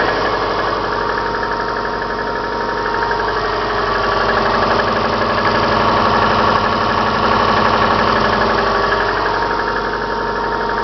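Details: Subaru Forester, about 143,000 km on Mobil 5W40, cold idle: steady, even knock about four per second, worst from cold, louder in winter, gone when warm; owner suspects timing belt tensioner, unconfirmed.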